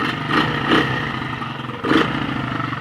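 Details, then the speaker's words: Chinese 100cc four-speed clutchless pit/dirt bike, cold start with no choke, one kick: light blips then patchy uneven idle that stumbles instead of settling; owner says the carburettor needs cleaning. Rough running engine. "it doesn't sound right doesn't sound good right now this card needs to be clean clean"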